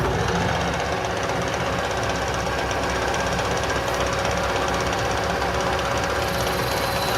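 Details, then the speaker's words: Machining a new part for a kerosene Companion camp stove: a rough, buzzing rattle runs through the whole cut, which is tool chatter from lack of cutting oil; the cut needs a bit of oil. "just ever so slightly, so it needs to a bit of oil on that, because you could start to hear the chatter."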